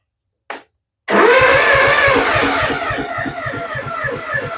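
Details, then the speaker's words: Kawasaki FR651V on a Gravely after a rebuild. It fires after a pause, then runs ragged with uneven low thumps and a wavering note. Timing was first suspected, but the fuel pump was installed backwards, causing fuel starvation and rough running. "that sure sound like timing off"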